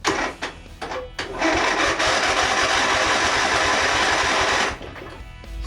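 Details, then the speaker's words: Husqvarna Z246 zero-turn with a swapped-in Briggs engine, fuel not yet hooked up and a dead battery: a dense whirring crank for about three seconds that stops without catching, a weak battery dragging the starter. "fuel is not hooked up yet so it shouldn't really fire except there may be fuel in the bowl so it may Fire Let's see if I got a good connection here the battery is dead so there may be issues there"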